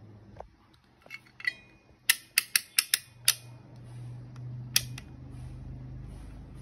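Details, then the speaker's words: Multimeter with an added piezo buzzer wired to its PCB buzzer point, tested in continuity mode: short sharp chirps as probes touch, five quickly then one more; buzzer works properly. "now it's working very perfectly now it's beeping you can hear the sound the meter is beeping"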